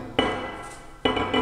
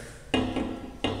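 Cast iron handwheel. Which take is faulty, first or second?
second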